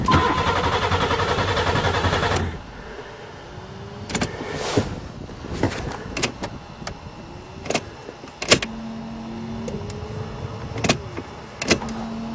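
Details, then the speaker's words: Buick Regal starting in spring after sitting over winter, fuel pump now running but engine won't fire: starter cranks steadily about two seconds without catching; owner suspects no spark, later traced to corrosion under the computer plate beneath the spark coils. "this piece of well let's try some miracle juice well it must have no spark"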